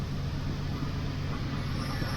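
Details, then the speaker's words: 1979 Pontiac Firebird Trans Am 6.6 big block V8, reported noises possibly converter: deep, even burble steady with no misses, knocks or ticks; normal idle, engine sounds very nice. "other than that the engine sounds very nice"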